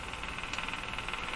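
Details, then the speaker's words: Mohawk Model 1240 five-tube radio with very poor performance, tuned around 700 on dial: rapid even ticking about eight or nine clicks a second over faint hum; picking up pulsing interference while strong station barely heard. "so you can hear the interference the ticking so it's picking up something that's full blast"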